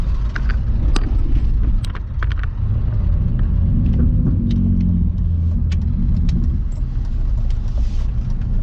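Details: Car climbing a hill after a misfire fix: deep, even engine rumble with no stumbles or misses; smooth, healthy running under load.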